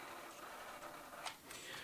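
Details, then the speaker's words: 1980s TRS-80 CGP-115 pen plotter (ALPS mechanism), about 40 years old, holding the paper feed button: faint steady high buzz with light ticking while the roller stays still. Roller stepper motor is energized but stalled, cause unknown. "noticed that there is in fact a noise being made some of this is coming from the stepper motor the drives the printhead but some of it's coming from the stepper motor that drives the roller"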